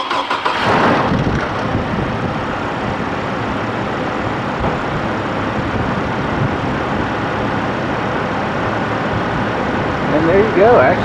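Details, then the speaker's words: 2007 Chevy Colorado with i5 engine, just after serpentine belt replacement: engine starts right up and settles to a nice quiet, even idle with no chirp, squeal or chatter from the new belt. "do you hear how nice and quiet that is it started right up no tweaks no chatter on the belt"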